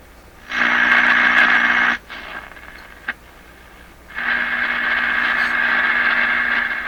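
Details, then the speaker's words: Crosley 43FB battery tube farm radio, first power-up after 50 years, A and B voltages good, no antenna connected yet, near the top of the presumed AM band: steady hiss with a sustained tone and a click between. Reception is normal. "Okay, I'm going to say that's the AM band."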